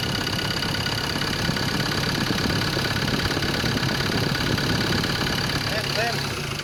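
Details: Ford Ranger 2.2 XLT 4WD diesel, manual transmission, idling: steady fast knocking tapping through the clatter; knock from inside the engine, cause not yet pinned down.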